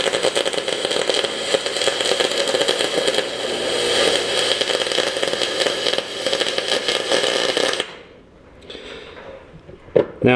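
Steady, harsh frying crackle for about eight seconds, then the arc stops; an uneven arc consistent with welding through heavy oxide on aluminum.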